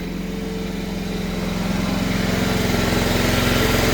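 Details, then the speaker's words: Risler V975 TMR mixer, about 2,700 hours, small engine after tightening and oiling the drive chains: steady, even beat as speed builds slightly with no squeal, so the chains no longer squeak. "all right there you go mix's running a whole lot less play in the chain um you can hear it's no longer squeaking"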